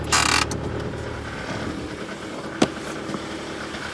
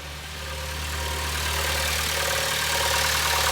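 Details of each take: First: 2011 Honda Civic, cold start after sitting overnight, in Drive: light, uneven tapping of about three to four per second that sounds internal. It was traced to a wiggling, loose belt-drive tensioner rather than the timing chain or flex plate. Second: 2011 Honda Civic running in Drive with the accessory belt removed: smooth, even running as revs rise slightly under load, no rattle or chirp; the earlier engine noise was traced to the belt tensioner.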